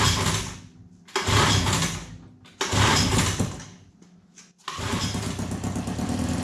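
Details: 1954 Johnson Seahorse 3hp two-cylinder two-stroke outboard, long unused, after cleaning the fuel tank, setting the ignition points and the carburetor; choke out, vent open, on start, it catches after a few pulls into a crisp, even buzz with steady firing.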